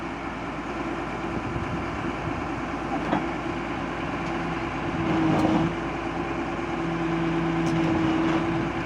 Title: excavator travel Abnormal sound